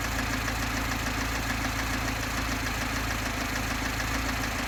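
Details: VAZ 2101, top end and pistons all new, valves adjusted, good oil pressure. Light, fairly regular tapping about twice a second over a steady idle, heard from under the valve cover both cold and hot; cause of the top-end knock unclear.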